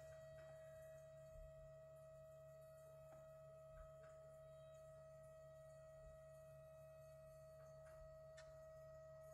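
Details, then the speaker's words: 2011/2012 VW Passat estate 1.6 TDI CAYC, diagnostic-commanded fuel pre-supply pump test during service: quiet steady mid-pitched whine holding level for about a minute; normal fuel pump priming. "Donc on l'entend toujours fonctionner. M. Ça dure approximativement une minute, je pense."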